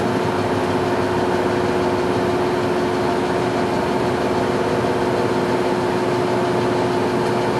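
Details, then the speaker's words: TM 508 common-rail test bench starts its run and heats the test fluid toward 45 °C. A steady, even drone with one constant tone and no knocks or surging; the bench is running normally. "Ela iniciou o giro, ela está em procedimento de aquecimento."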